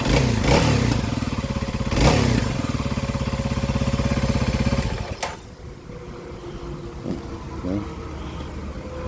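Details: Kawasaki KLX 300 single-cylinder before test on the stock airbox snorkel, ahead of an airbox upgrade, windy outdoors; thumps along at an even beat then settles quieter, no misses or odd noises, running healthy.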